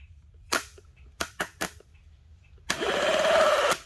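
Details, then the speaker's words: 1981 DeLorean starter with jumper cables: several sharp sparking snaps, then about a second of starter spinning with rising whir; engages only when jumped directly, so owner suspects the solenoid. Engine turns freely. "then it engages, which means to me something with the solenoid."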